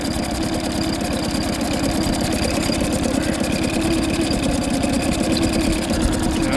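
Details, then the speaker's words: Outboard test run after injector cleaning and replacement, fuel bulb primed to bleed air, no leaks: fired right up easily, steady even idle picking up cleanly when revved, no misfire or stumble; sounds healthy, though only running it will tell. "And uh said the only the only way to tell is to run it around, burn some fuel out and see how she acts. But fired right up pretty easy."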